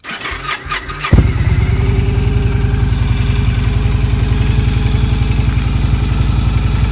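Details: Victory V92C motorcycle cold start at 38°F in Denver after sitting a week in sub-freezing weather, on choke, in neutral, no pre-warm. Quick starter whirr, then a steady loping idle: a clean cold start.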